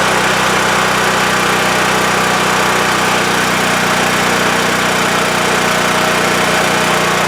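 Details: WEN TF1450X 14500W tri-fuel generator after repair, formerly dying after 20 seconds with lost spark: loud, even engine drone, steady pitch, no stumbling or surging; holding speed smoothly, display reads 232 volts.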